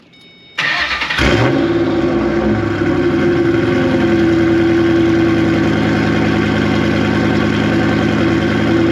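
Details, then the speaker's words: V8 car with exhaust cutouts open dumping straight out to the sides, warm restart, not a cold start: quick crank, then deep even loud burble. Normal idle with cutouts open. "I currently have the valves opened. So, we'll start it up and I'll uh have you guys hear what it sounds like."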